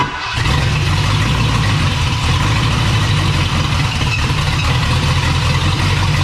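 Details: 1979 Ford F250 4x4 Sno-Fighter, V8 powertrain sitting since 2016, no fuel tank or exhaust hooked up: a loud, raw, ragged rumble as it catches and runs briefly on starting spray through open manifolds. Transmission fluid spews out.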